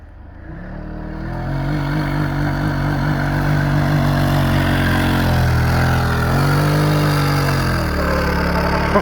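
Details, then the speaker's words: Snow sled stuck in crusty snow under full throttle in high: engine revs climb and hang at a steady high drone while it barely moves, the CVT drive belt slipping. "did you hear the belt slip she's in high"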